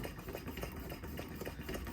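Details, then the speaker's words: 1968 Coleman 200A lantern, previously disassembled, pump test before a dry burn: quiet, even strokes three to four a second, soft squeak and push on each; owner thought it might need oil, but pump works normally. "Let's see how the pump is working on this one. Ooh, what's going on here? We might need to oil. No, that's working."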